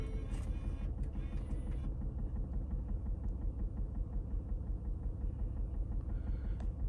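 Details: 2009 Lincoln MKS 3.7L, code P0305, customer reports vibration: low uneven idle shaking about three times a second as cylinder 5, rear under intake manifold, drops out; misfire from failed ignition coil.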